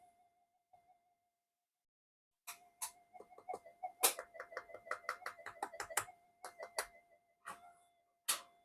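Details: Old Minelab GP Extreme metal detector on the bench, intermittent no-audio fault; faint wobbling whistle with irregular clicks and bursts, the "alien" sound with no detection depth, triggered by touching boards or a screwdriver near the coil; cause not yet found.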